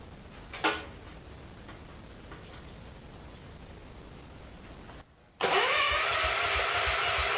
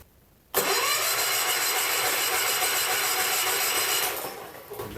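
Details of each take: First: John Deere 110 garden tractor pulled from scrap, cranked with spark plug out to check compression: two roughly three-second cranking bursts with steady, even puffs each turn; compression acceptable, but no spark, suspected points problem. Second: John Deere 110 garden tractor, believed mid-70s, rescued from scrap after sitting for years: starter churns the engine about four beats a second but it never catches; no spark, no power at the coil, points suspected.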